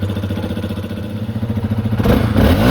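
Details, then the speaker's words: 2021 Yamaha XT250, 252 miles, long-stored; after fuel system work, revving after a short warm-up: crisp, even exhaust pulses picking up cleanly as revs climb; normal revving. "I'll let it warm up a little bit then I can start revving it"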